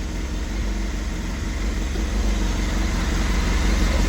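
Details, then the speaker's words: 1989 Honda CBR1000F, abandoned over 10 years, first start on a funnel-fed fuel tank, no coolant in yet: smooth, even four-cylinder idle with a steady beat, no ticks or misses, sounds perfect; normal idle. "Wow. Oh, that sounds [Music] perfect."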